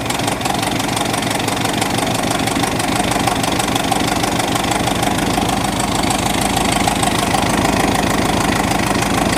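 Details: 1986 Ford F-150 running after a carburetor swap in cold, snowy weather. The idle is loud and uneven, with a lumpy, irregular beat of about three pulses a second. It runs rough and the carb needs adjustment; the owner suspects the original fault was fuel delivery from the tank.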